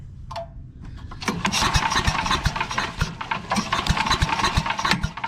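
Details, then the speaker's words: Craftsman 8.5hp chipper/shredder model 247.775880, sat 10–15 years, no fuel, starting fluid in intake; after pull, ragged uneven popping few seconds, firing and missing; catches briefly on starting fluid only. "I heard it I heard it starting to go already I've got absolutely no fuel in there but just off the starting fluid I can tell it wants to start"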